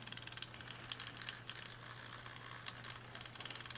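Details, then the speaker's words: Mechanical hour meter reading 56,000 hours, powered from 24 V on two batteries with no polarity; it counts far too fast, with rapid, uneven light clicking over a low electrical hum, a faulty meter. "You see how fast this is counting? You hear the clicking noise there,"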